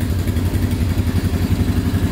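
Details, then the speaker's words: 2010 Polaris Outlaw 90cc ATV just after a carb clean, started instantly: small single putters at a quick, even idle with steady firing pulses and no misses; smoking a little; the carb was the problem. "That started instantly. So definitely was the carb clean causing problems."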